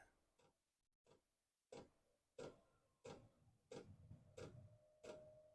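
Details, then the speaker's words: Likaci all-in-one Chinese diesel heater on a 12V power supply adjusted up to 14V, at startup with the glow plug on: the dosing pump starts sharp, even ticks about 1.5 per second; normal fuel pump ticking. "Oh, I gotta hold it in. Glow plug is on. Pump just started."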